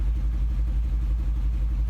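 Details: 2010 Mercedes-Benz with check engine and transmission workshop lights on, seen by many mechanics: deep idle rumble with uneven dips and stumbles, misfiring badly at idle.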